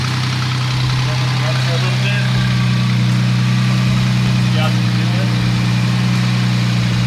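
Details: 2008 Jeep Wrangler JKU after replacing ignition coil pack to cure misfire code (spark plugs checked good): steady, even low hum with no stumbles or skips; engine idles smoothly on all cylinders.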